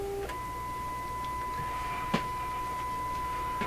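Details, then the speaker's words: Stewart Warner R146 radio with a test signal injected during an IF transformer repair: a clean, steady tone near 1 kHz over quiet hiss comes through the speaker. A broken wire inside the IF can is suspected. "so that's a moderate signal but i don't know how much signal you would need to pump in here to get it to come through it's coming through though"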